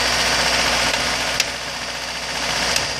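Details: 2003 Acura RSX base with a K20A3 that runs and drives fine; a sharp, loud tap of about four per second, sometimes at warm idle and more audible around 1800 rpm, source unidentified.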